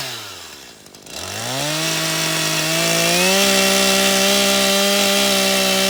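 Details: Stihl MS 182 C-BE chainsaw after a morning cold start and a minute or two of idling. Revs climb quickly, then hold a clean, steady high scream under load as the chain bites through wood: normal cutting under load.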